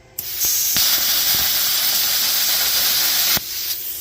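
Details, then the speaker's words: AUTOGEN CUT50/CUT55-type plasma cutter torch, air pressure compared at 15 and 20 psi on a cheap gauge; clean steady air hiss starting and stopping sharply without sputter: 20 psi self-clears better, correct airflow. "That 20 self-cleared a lot better."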